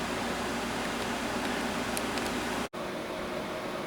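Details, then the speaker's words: 5,000 BTU window air conditioner, fan only with compressor off, heard from about 10 feet: even, steady whoosh of air with no rattles or pulsing, briefly cut once; normal fan operation. "Right now just the fan is running, so if you hear the noise, that's the fan running, and we're about 10 feet away again."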